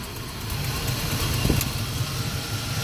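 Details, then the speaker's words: Carbureted 5.3 LS swap truck with a failed MSD 6014 ignition box, misfiring at idle. Pulling cylinder 2's coil makes only a slight change, while pulling cylinder 4's coil makes the idle turn lumpy and chugging, showing cylinder 4 had been firing properly. "all right cylinder number two i'm going to go ahead and disconnect not a big change slight slight change let's say that cylinder number four now this is chugging"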